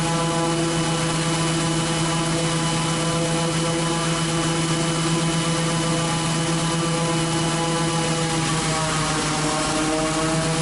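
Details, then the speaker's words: Raptor prototype aircraft engine with redrive and prop governor, first startup run-up after install: steady propeller drone, engine tone settling lower each time pitch is manually coarsened, oil pressure rising; governor responding normally despite small governor tube leak. "so that was two different times that I manually adjusted the pitch on the prop and you see each time and the pressure went up and the prop no or the engine rpm drop down"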